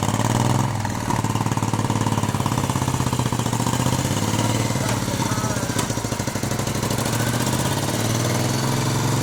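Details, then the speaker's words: 1971 Moto Guzzi Ambassador V-twin, 4-speed, under full restoration with changed crank and new rings, first fire-up: even steady beat at fast idle, quiet top end, no knocks or rattles; motor sounds tight and healthy, normal running. "And it sounds good. Sounds good. Everything sounds good. The motor sounds really quiet and not a lot of rattle crap on it."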